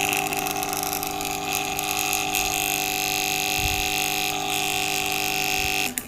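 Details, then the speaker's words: Aquarium air pump running loud with a harsh, steady electric buzz and shrill ringing edge but no airflow hiss, giving no air even with the pipe inserted; dust is clogging the pump chamber holes. "कि मैं problem आ रही है कि आवाज बहुत ज्यादा कर रहा है और एयर बिल्कुल भी नहीं दे रहा है"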